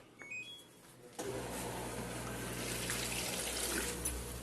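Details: Turbo Drum 8.5 kg washing machine entering its spin cycle. A quiet click, then an even pump hum with water gushing out: the drain pump empties normally, though the machine is shaking and vibrating excessively.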